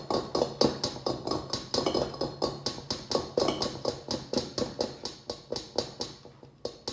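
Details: LG refrigerator model LSXC22396S: sharp slightly uneven knocks about twice a second over low steady compressor hum, occurring even when the refrigerator is stationary, not only when moved.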